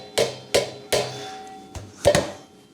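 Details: Toyota Supra JZA70, old generic aftermarket exhaust silencer held and shaken by hand: about six sharp metallic clanks with a hollow ringing tail as a loose piece rattles inside the box, which is being replaced.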